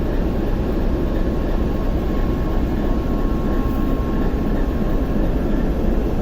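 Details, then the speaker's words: TEP70 0237 V16 locomotive diesel at start after repair, not yet warmed, run 2-3 minutes, compressor off: smooth constant heavy roar, even low throb, no knocks or misses, almost no smoke, quiet; normal running. "Ну и дыма практически нет после ремонта. Работает как тихо. Красиво."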